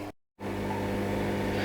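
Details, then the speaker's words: Inflatable hot tub pump brought back from winter storage: after a brief gap, a steady, even hum with no surging or cutting out; air purged, water flowing well, no E02 error, running normally. "you can hear the pump is actually quiet and down which means that it's managed to get most of the air out and it's not cutting out so it's happy with the water flow"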